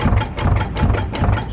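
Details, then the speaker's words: Old Chrysler car after transmission work: a heavy, rhythmic ratcheting clunk, two or three a second, from inside the rear differential, with the drive shaft visibly jumping; suspected cause of the original transmission failure. "all that noise is coming from the inside of the actual rear end. But that sounds like something that like I was having initially, the whole process from the beginning."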